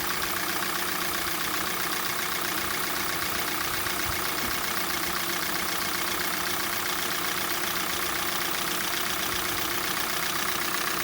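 Steady, sharp ticking knock, about four a second, rides on top of a cold idle; a metallic knock from inside the engine.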